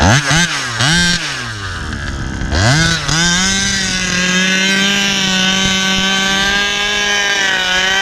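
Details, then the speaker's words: Rovan RC car, 36cc Victory big-bore two-stroke with pipe: blips then a high steady scream that doesn't load down; owner suspects another dog bone issue, transmission trouble; driveline slipping. "sounds like i got another dog bone issue already man what the hell"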